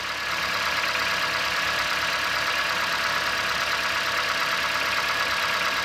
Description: This is a recording of a 2017 Ford Fiesta after being started up on a cold winter day. The 1.6L 4 cylinder engine starts up, revs slightly and then quiets down after warming up slightly.